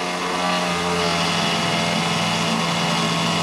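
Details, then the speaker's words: Diamondback airboat electric fuel pump fed 12 volts directly after it stopped working following metal work: even, steady electric hum with a high whir, priming the dry system normally with no odd noises; the fault is missing power to the pump. "home seems to be working pretty good not making any odd noise or anything it's definitely priming up because the system is dry"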